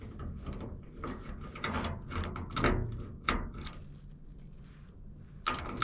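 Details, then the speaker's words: Machine linkage frozen overnight after snowmelt water got in, being oiled: short scratchy squeaks each time the stiff joint is worked, fading between strokes; squeak from frozen mechanism. "Got water in it when it thawed out. And when the temperature dropped last night, everything froze up. That thing squirts it in there pretty good. Hear that squeaking."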